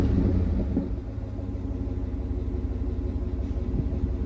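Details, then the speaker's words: 2011 Cadillac Escalade V8 just bought from Carvana: catches and settles into a deep, steady, even burble at idle with no misses or ticks; healthy. "I'm going to start this vehicle, and then you can hear how that burbling goes."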